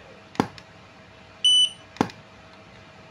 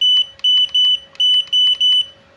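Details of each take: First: Godox AD300 Pro flash, water-damaged with its board destroyed by an earlier botched repair, triggered after the custom module was installed and tested without a battery: a sharp firing pop, then a clean high recycle beep about a second later; working normally. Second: Godox AD300 Pro flash with a previously service-damaged board and a custom-built replacement module, power set to minimum, ready light on: six loud high-pitched beeps but no flash pop or charge whine; still does not fire.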